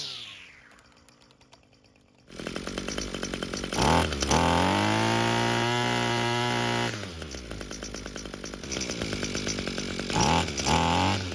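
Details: Echo string trimmer after fitting a replacement carburetor with relocated choke, purged and choked: crisp two-stroke buzz climbing cleanly to steady high revs and dropping back smoothly, no bogging or surging; normal running.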